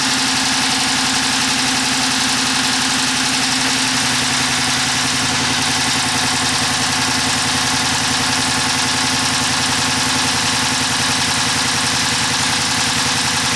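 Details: 2011 Chrysler 300 5.7 V8 with codes P0300/P0302. A steady idle with a rhythmic stumble from cylinder 2; scope testing shows missing pulses, pointing to a mechanical cause.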